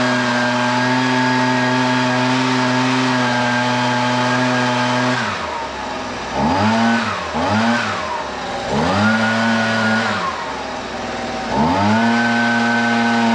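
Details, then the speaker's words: Husqvarna 125BV leaf blower two-stroke after carburetor replacement (previously wouldn't prime or start): steady high drone then clean blips with crisp throttle response; best in a while, owner thinks it may need slight adjustment; normal running. "all right well I'll be honest with you that's the best that saw or that saw that's the best that blower has rain in um quite some time sounds like it could use a little bit of adjustment but I'm not too worried about it"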